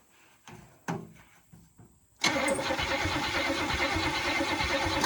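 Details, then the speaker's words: 1966 Buick Sport Wagon with seized water pump: a few clicks, then starter churns steadily about three seconds and engine never catches; no spark at the coil; owner suspects points or an open coil, unconfirmed; cranks but no start. "no spark no spark I didn't did either on the coil I'm just not seeing anything here it might be the points"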